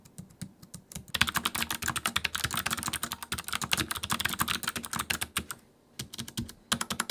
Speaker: Most keyboards today use scissor switches, which have way less travel than mechanical switches, and they don't have a tactile bump in the middle of them. They're also quite a bit quieter than mechanical switches.